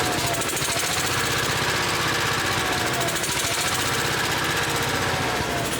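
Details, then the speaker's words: Generator on a bucket truck, started with remote switch using the choke position, choke then turned off: steady busy hum with even pulse and constant light whine, no misses or hunting; running normally. "so when I hit that to the middle that chokes it you can hear it starting okay once it starts we did enough it turns off the choke then"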